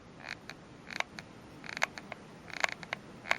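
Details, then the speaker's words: Worn stock Alinco EMS-64 microphone on a DX-SR8 radio. Keying push-to-talk gives a micro-switch click plus short dry creaks, like fatigued plastic, which the dynamic element picks up onto the transmitted audio; owner believes he cured it. "creak, like almost as if the plastic is becoming fatigued, and that appears to be coming across on the audio as well."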